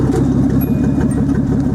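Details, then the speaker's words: Nissan 280ZX Turbo, about 200,000 miles, warm at about 180–195°F: uneven, chuffing idle with a regular stumble like an old steam engine, engine shaking; misfire, owner suspects injector number five (and one) stops working once hot. "as you can hear sounds like just one of the injectors is not working right now it's probably that number five"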